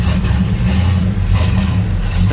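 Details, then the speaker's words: Original Dodge Dart Swinger 340 V8, cold start: lumpy, uneven revving with a deep rumble that won't settle; runs rough on choke until it opens, then sounds great. "a little rough going to need that choke to open up there it sounds great"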